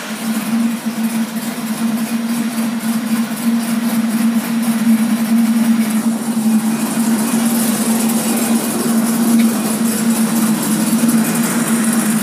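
Quick rhythmic cranking pulses, then the flat-six settles into a steady, even hum with no grinding; normal start.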